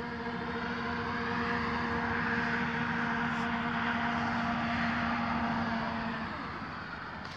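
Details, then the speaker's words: Astro-Physics Mach2 equatorial mount slewing at 1800 Go-To rate from park position 1 to 3, west to east: steady motor whine with a rough buzzing grind. The vibration is in the right ascension axis near the motor. "all right and again at 1800 slow speed starting from park position one going to three as soon as the deck access moves it makes noise going"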